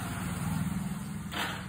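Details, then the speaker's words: Hero HF Deluxe motorcycle, key on, self-start pressed: only a short low buzz and the engine never turns over, while the neutral light goes off. The battery is dirty and in very poor condition; its voltage is checked and it is replaced. "গাড়িটাই self হচ্ছে না। চাবি switch on করে self মারলে এইরকম আওয়াজ হচ্ছে।"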